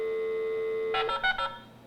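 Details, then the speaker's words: 1983 Hayes 1200 Smart Modem (1200 baud, sounds unlike 56k modems) on a Windows 98 PC, dialing a home VoIP dial-up server running on a Raspberry Pi: steady tone, then a quick string of crisp touch-tone digits. Normal dialing. "now if you are used to modem sounds your typical 56k modems this is going to sound a bit weird because it's only 1200 baud so yeah listen"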